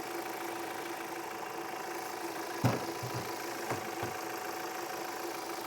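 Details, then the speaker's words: 2018 Audi Q5 2.0L four-cylinder with P0299 and power loss, hood open: quiet, even idle with faint steady hum and brief hood-area clunks; engine sounds good, normal idle. "The engine sounds good."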